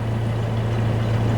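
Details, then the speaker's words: 1998 Ford Ranger, after replacing one fuel injector that caused a rough idle: deep, even hum at constant speed, no misses or roughness; sounds really good through the pipe, may still need a little fine tuning. "and sounds like it's going to make a good one now that we got the injector changed. It's sounding really good throughout the pipe."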